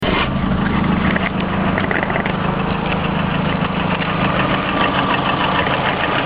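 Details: Lada Priora petrol engine with a knock present both cold and hot, inaudible at higher rpm and not affecting speed or acceleration. Steady idle with a light, fairly quick tapping on top; source undetermined.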